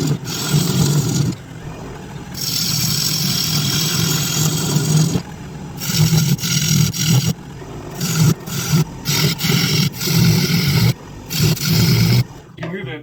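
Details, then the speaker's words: Wood lathe running a cut; heavy low drone throbs under the cutting noise as the loosely mounted bench top (wood from a treadmill on a steel frame) shakes. Vibration comes from the insecure mounting, which needs redoing. "and uh what's vibrating is the the the top on my bench that the lathe is mounted to is is uh wood out of a treadmill the rest of the rest of the frame is all steel and everything so in the way that it's not mounted super secure i need to i need to redo that"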